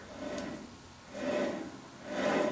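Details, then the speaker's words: 1994 Geo Tracker 4WD front hub turned with brakes removed to rule out pad rub: dry rasping grind swelling about once a second from a bad front wheel bearing. "hear that wheel bearing down. And that's with the brakes removed. So, I was eliminating the brake pad rub. So, it's obvious this wheel bearing's bad."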